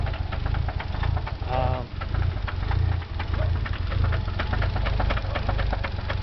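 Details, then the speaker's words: Nissan 300ZX twin turbo: uneven deep knocking under a rough, stumbling idle that nearly stalls. The owner suspects a bearing, but the source is unconfirmed. "sound it's making. You can clearly hear it's could be a bearing. And the car is hesitating to stay on."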